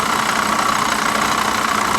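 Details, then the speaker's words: Salvage-auction Corvette convertible, AC bypassed: it starts on its own, then fast steady tapping over a constant idle with a thin whine under the hood. Knocking at idle of unknown origin; a water pump or accessory suspected. "what do you guys think i don't know man that sounds uh that sounds a little sketchy but she did fire right up on her own gotta give her that yeah that sounds like a water pump or something"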